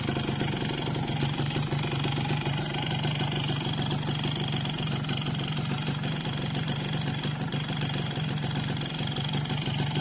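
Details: Yamaha Force 1 (F1ZR) two-stroke idling; raspy idle with a steady rapid light metallic tapping; owner suspects piston slap, unconfirmed.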